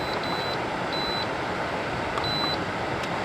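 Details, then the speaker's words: 2013 Frigidaire FAD504DWD 50-pint dehumidifier whose timer cycled by itself and buttons locked up, fixed by cleaning dirty button contacts with contact cleaner: crisp, clear high beeps with each press over a steady hiss; the buttons now respond normally. "i had to unplug it just to turn it off but the buttons are all working now"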